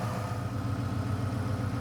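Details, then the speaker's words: 2000 Ford Explorer XLT 5.0 V8 with Meziere WP374 electric water pump after idler assembly replacement: smooth even idle, faint metallic rattle from faulty AC compressor; water pump noise gone. "but the sound that I was getting coming from from the water pump location down here is gone"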